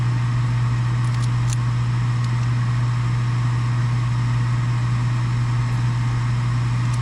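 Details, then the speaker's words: Furnace after replacing an extremely loud draft inducer motor, restarted to fire up for heat. Steady, even low hum with no roughness or rattle and a couple of faint gas valve clicks; sounds much better, normal furnace operation. "That sounds much better now. Maybe we can hear the gas valve clicks."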